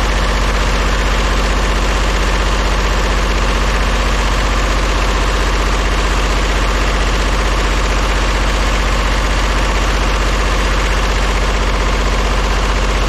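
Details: Old diesel vibratory roller compactor, first run after sitting 30 years: lumpy at mid throttle with a steady stumble about three times a second, a bit smoky; owner thinks it is missing on one cylinder.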